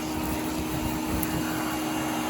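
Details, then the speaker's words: Hoover Air Steerable vacuum on test carpet: steady loud roar with faint hum underneath; motor sounds rough and strained, cause not stated. "And you can hear how this motor don't sound great."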